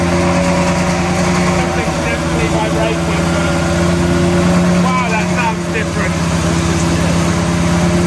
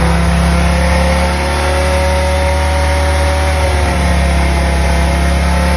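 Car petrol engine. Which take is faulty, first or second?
first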